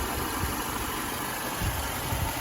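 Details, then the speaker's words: Mercedes-Benz W212 with M271 engine at idle, after a StopTech antifreeze additive and an oil change, about a week of driving later. It gives a steady, smooth, quiet hum; the earlier hydraulic lifter ticking has stopped. "Двигатель, кажется, сейчас работает нормально, тихо и не стучит."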